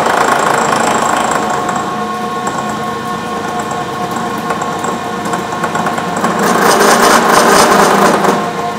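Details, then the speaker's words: Bridgeport 1 HP R8 milling head on a retrofitted American Tool Works planer mill, 5-inch face mill, roughing pass about 40 thou deep on hot-rolled bar: rough rattling cut with a regular buzz of about four knocks a second over the spindle hum, chatter from running the spindle too slow, eased when sped up. "I had a little chatter in the beginning because I was running a little too slow the funny thing with this thing the faster I push it the better it wanted to cut"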